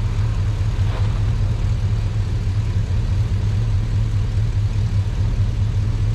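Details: Truck after sitting a while, in cold weather: deep, low V8 idle with even pulses and no misses or tapping; a normal idle.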